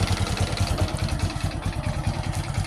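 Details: Honda Supra X 125 hard to start, carburettor flooding with fuel dripping and smoking exhaust: lumpy, uneven idle with irregular thuds about ten a second and clattery top end; suspected worn piston rings and cylinder block.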